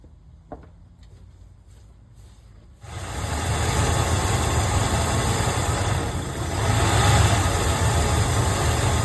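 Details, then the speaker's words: Ford F-150 (OBS) starting and settling into a low, uneven idle that lumps and sags, trying to die. It also skips while driving, at red lights. The owner names several possible causes, such as the idle air control valve; unconfirmed. "Well, I thought this issue had went away. But, looks like we still got it. Yeah, this sucker's trying to die."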